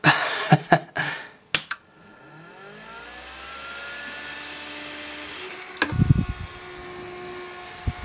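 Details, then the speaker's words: Mean Well SE-450-24 24 V switch-mode power supply, about six or seven years old, powered on with no load: a click, then a whirring that climbs in pitch to a loud, constant whine. The fan runs full-time, drawing 1.4 W. "this thing has this big ass fan which is crazy loud and it works all the time it doesn't matter if you just power it on nothing connected this thing is going"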